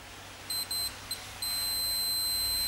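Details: Hoover/Candy tumble dryer not heating: meter on continuity across one of the two thermostats on top of the heater. A few short beeps then a steady unbroken tone, showing continuity, so the thermostat is good.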